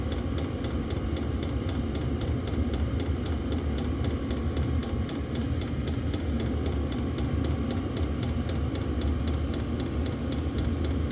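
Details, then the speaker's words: Diesel heater on a lithium battery after restarting from an out-of-fuel stop, glow plug now off, set to high: even fan roar with steady fast pump ticking throughout; burning steadily, normal running. "Fan is picking up speed. Gonna put it on high."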